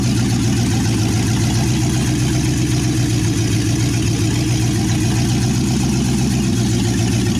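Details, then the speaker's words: 1963 Chevy C10 355ci small block (350 bored .030 over), reportedly low miles, firing after years of sitting: loud, steady low rumble with an even, choppy beat from open headers, no knocks or misses. Normal idle. "and there you go it runs"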